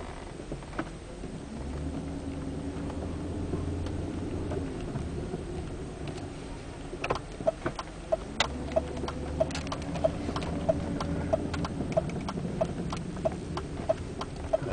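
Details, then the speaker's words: BMW 740i driving: a sharp, regular creak about 1.5 times per second over road and engine rumble. It is worse when slowing and braking but also occurs without braking, turning or not, and is getting worse. "that's the noise I get, especially when I'm slowing down, braking. It does it when I'm not braking too. And it's been getting a lot worse lately."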